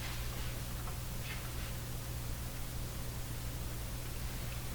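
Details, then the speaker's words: Atwater Kent Model 20 tube radio on an antenna with rheostats near max and tubes glowing, after fitting a UX200A gas detector tube in place of the incorrect 201A: only a steady low mains-like hum under faint hiss, no reception even turned up. "Okay, I hear the same very low hum."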